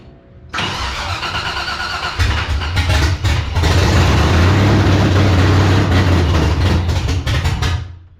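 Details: 1984 Cutlass G-body, procharged LS swap on Holley Terminator X EFI, untuned maps, throttle cracked open with bigger screw: long crank, V8 catches with low uneven rumble, surges and sags before dying; hard to start and won't hold idle.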